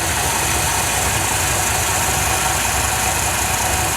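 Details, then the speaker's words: Ford F100 with the 300 4.9L straight six on a new Chevy-style HEI distributor, after timing corrected to TDC; busy but steady idle with no misses or knocks, belts still loose; normal idle. "it's running pretty good other than the belts to be tightened up good response"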